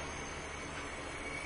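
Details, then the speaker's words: 2004 Mazda Tribute after overheat, no-compression no-start, leak-down test on second head with mic at intake port: steady loud hiss of air out the intake; intake valve leaking, air also reaching cylinder one. "oh yeah definitely definitely can hear it through the intake we'll just put the microphone right at the intake port for you pretty unmistakable definite large intake leak here"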